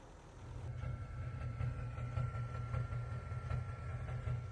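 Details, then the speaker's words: Nissan Titan diesel with CP4 pump at idle, uneven bump-bump knock with misfire and smoke when it misfires; low fuel pressure light, check engine light, codes injector circuit open cylinder 5 and low pressure fuel system; cause not confirmed. "Hear it? There. Yeah, it's misfired. And when it misfires, it smokes too."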